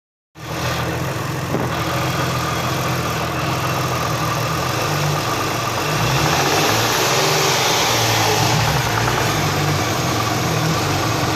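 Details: Hyundai V6 at idle: faint quick tapping about four times a second under a steady idle, persisting as revs rise slightly; source unclear.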